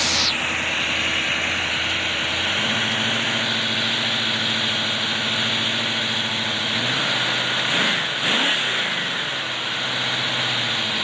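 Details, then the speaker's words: 1979 Oldsmobile 403 V8 from a '79 Trans Am on a homemade run stand: steady even idle, then a clean quick rev that rises and falls smoothly around eight seconds; not shaking, stand stable; normal revving. "see what it looks like with the Shaker on it but that's it it's running it's not shaking stand is stable"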